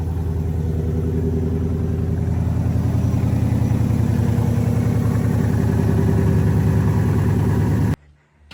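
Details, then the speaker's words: 5.0 truck, first start after fitting a Boss 302 intake manifold, eight reman direct injection injectors and a new tune: a steady even idle with the normal light 5.0 tap and no knocking. "She starts, idles fine, sounds perfect, has that light tap of a 5.0, but there's no knocking, nothing like that that people complain about."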